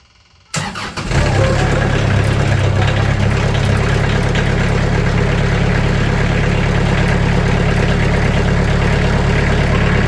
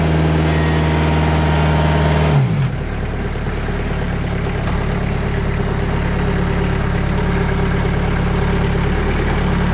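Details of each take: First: Sawmill engine started and idling, blade tensioned to about 500 psi to quiet blade: steady idle with loose, buzzy metallic chatter over it; sheet metal doors rattling, before fitting 80 mil sound-dampening sheets. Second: Sawmill engine revved to higher RPM after 2 mm (80 mil) sound-deadening sheets were applied to its doors: the note settles into an even, steady drone with no rattles or knocks and is much quieter. Normal high-rpm running.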